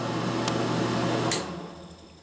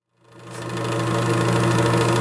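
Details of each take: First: Air King bathroom exhaust fan after its rattling was fixed by fitting a new motor and blower wheel, tested with the cover off: even, steady low hum with no rattle or scraping, then it winds down; rattle gone, much better. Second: Air King bathroom exhaust fan: loud hum with a fast, uneven rattle as the blower wheel scrapes the housing; fixed by replacing the blower wheel and/or motor.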